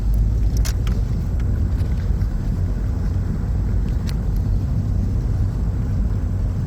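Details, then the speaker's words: VW Golf VR6 road test after repairing the drivetrain failure (clunking, clanging and total loss of drive after a 4th-to-5th shift): an even road rumble with a steady low drone. There are no clunks or knocks over bumps, and the noise is gone. "But yeah, but well, it works, no extra noises, source seems to work pretty well. So we'll call that a fix."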